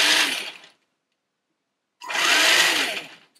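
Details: Tamiya MF-01X Suzuki Jimny RC chassis, first run just after assembly, held in hand; two short bursts of smooth rising electric motor whine with a quiet gap, no grinding or clicking. Normal electric motor run.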